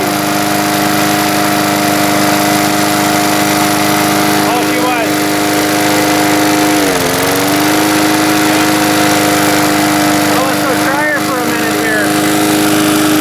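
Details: Small single-cylinder mower engine, earlier a no-start, now running, with the muffler flopping loose: steady, even drone with one brief dip in speed, then settles, a bit of smoke; it is running normally.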